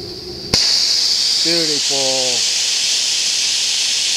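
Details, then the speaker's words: Homemade steam safety valve set to 120: sudden sharp pop then loud, steady hiss of venting steam without chatter; lifting cleanly at set pressure. "there she's gonna pop right at 120 come on baby let me hear that pop right now"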